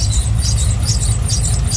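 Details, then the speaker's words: OBS truck after water pump replacement, warming up to open the thermostat, no leaks: a high chirping squeal pulsing over a steady idle, suspected from a belt-drive pulley, not confirmed. Squeal at idle. "okay so everything looks good so far up here no leaks of course that annoying squeal"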